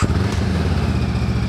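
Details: Honda CB500X twin, stock "before" tuning, running at about 1900 rpm: steady, even exhaust pulses over light street noise, no ticks or knocks; normal running.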